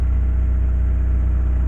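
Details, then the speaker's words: Petrol engine started after spark plug change: low even rumble with steady beat, smoother than before when it rattled on start, no rattle or misfire; normal idle. "So we'll start this thing up. And it sounds a little bit more smoother."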